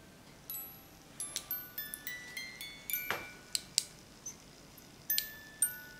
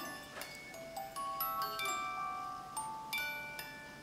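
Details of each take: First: Overwound music box with badly corroded, rusted gears and fly, just oiled: scattered chime notes in uneven bursts, stopping and starting as the sticky mechanism holds back. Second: Overwound music box after repair, set in stock position before being glued back into its box: clear plucked chime notes in a steady tune with a light ringing echo, sounding better each time, playing smoothly.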